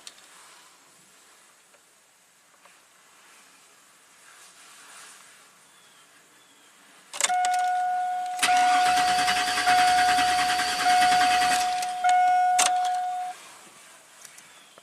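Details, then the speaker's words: 2000 GMC Sierra V8, intermittent crank no-start; about three seconds steady cranking with chime, no catch while computer uses programmed cam phase; starts only on reversed 180° phase, cam sensor sync fault suspected. "so when it's trying the known good what's programmed into the computer it doesn't start when it tries the reverse 180 you know out of sync it starts right up and runs so that's computer strategy something's wrong with this cam sensor"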